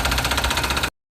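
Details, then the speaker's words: 2017 VW Vento at idle: fast, even ticking clatter about twenty beats a second from the timing area; mechanics suspect the timing chain tensioner, to be replaced. Abnormal engine noise at idle. "la etapa de distribución de un Vento Vento 2017 hace unos ruidos muy extraños ahorita les vamos a poner el ruido para que vean pensamos que es el tensor de la cadena de tiempo"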